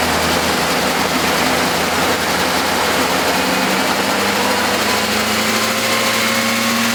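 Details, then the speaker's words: Freshly rebuilt BMW S62 V8, first start-up: fast, light ticking rides over a fairly bright idle and keeps pace with engine speed; lifter tick. "Sounds like an S62 with some lifter tank, huh? You successfully rebuilt, so far, an S62."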